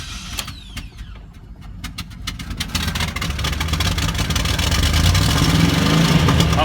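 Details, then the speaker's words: 1996 Buick Roadmaster Wagon on throttle: climbs from a lumpy idle into a rough loud rev with uneven pulses, puffing black smoke, idling high initially then bad hesitation; rich running with black smoke. "black smoke, and then it kind of idles high as well initially, and then it kind of settles down, and then it has a real bad hesitation."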